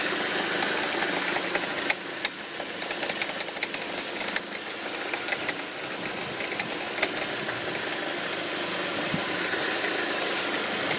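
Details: 2005 Audi 1.8T in gear under load: light, irregular popcorn-like rattle from around the alternator, only in gear; no check engine light or oil pressure errors; owner suspects water pump or alternator, cause unclear.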